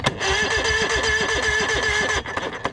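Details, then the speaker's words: Evinrude 115 E-TEC tiller outboard with the kill switch disconnected: starter turns it evenly for about two seconds with no firing. Cranks but no spark; the computer is to be swapped. "and it did not so i'm gonna go ahead and swap the computers"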